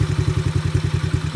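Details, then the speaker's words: Coolster 125 Chinese ATV single-cylinder carb, adjusting air/fuel mixture screw at idle: thumping idle turns uneven and sags, boggy and dying out before seeking peak RPM. "Eh, that's not bad. No, it's kind of dying out on me. Yeah, I don't like that. It's a little boggy."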